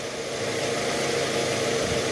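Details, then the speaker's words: 2009 Toyota Harrier 2AZ-FE 2.4 L, AC on, shifted from neutral into R after replacing a worn balancer shaft: smooth even idle, no crackle or rough rattle; harsh noise gone. "Netral masuk R oke udah enggak ada bunyi kasar guys"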